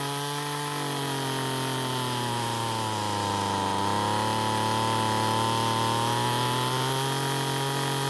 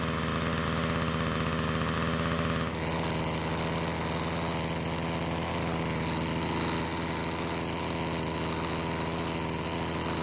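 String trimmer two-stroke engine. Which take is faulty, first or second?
second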